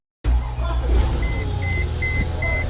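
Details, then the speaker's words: 1999 Mercedes ML430 that cranked but shut itself off, traced to the smart key receiver: engine catches at once and settles to a steady low idle with dash chimes beeping; normal start, warning lights still need resetting. "starts up got some morning lights that need to be reset but yeah she's ready to go"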